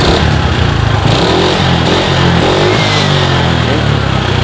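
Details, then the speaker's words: Suzuki Skywave scooter that the owner says dies when hot at speed, revved: harsh, clattery rattle from the cylinder block over the exhaust; likely a scuffed, worn piston, also causing heavy smoke and fast oil consumption. "tapi kalau saya perhatikan tadi di sini suaranya itu berisik di bagian bloknya ya berarti itu kemungkinan di pistonnya"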